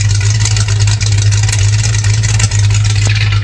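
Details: 1984 Mustang GT 5.0L V8 after installing a new high-torque mini starter: steady deep burble, smooth even rumble, no knocks or starter grind. Running cleanly.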